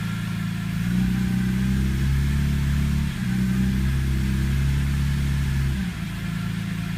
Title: Rough Idle First 90-120 seconds after start